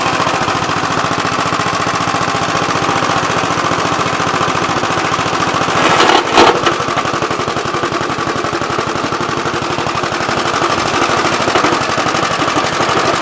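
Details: "Big Blue" 53 L single-cylinder engine after a plate patch on the cylinder, on a windy day: fast, crisp popping at an even beat with only a brief blip, running smoothly. The oil pump leaks.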